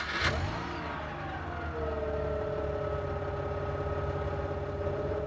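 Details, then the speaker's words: Mazda RX-8 rotary, flooded engine de-choked by cranking about 7 seconds with accelerator floored: cranking catches into a rising, slightly uneven buzz settling to steady idle; may smoke from exhaust after starting. "after starting a flooded engine you may see smoke from the exhaust"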